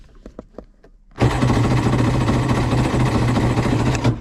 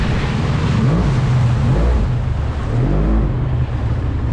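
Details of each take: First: Polaris SL750 jet ski on a cold 38°F lake day, a few clicks then about three seconds of rhythmic cranking that never catches; cranks but won't start, owner suspects a nearly dead battery is contributing. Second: Polaris SL750 jet ski on a cold 38°F lake, strong steady low drone holding under load with water and wind noise; engine pulls cleanly, normal running after the issue was fixed.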